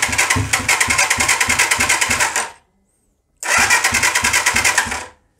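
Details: Hard starting on a 125cc CCW Sinnis Heist hardtail chopper single, on a stand: two bursts of rapid even firing, about three pulses a second, each fading within two seconds; catches but won't keep running.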